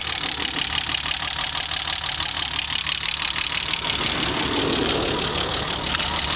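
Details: BMW E30 with M20B25 inline six, running rough after newly installed injectors and chip/ECU: uneven ticking about three beats a second over a hissy top end, stumbling, unsteady idle rhythm.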